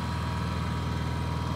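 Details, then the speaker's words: Honda EU7000 inverter generator, restarted after tripping its breaker at 7700 W, breaker flipped to drop all load: low, even hum with a smooth steady beat, no surging, knocking or hunting; idles cleanly with no load. "we flip this breaker and it will take all the load on foot there we go that's no load that's my little Honda"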